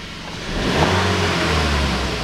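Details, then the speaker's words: 2014 Volkswagen Beetle 1.4 turbo DSG, 49,500 km, after repairing the broken boost hose, refitting the sensor and clearing P0236: clean, even revving with smooth pull, no knocks, hiss or flutter; fault no longer returns. "Ну вот дал ему ещё поработать маленько ошибка Не повторяется не вылазит работает"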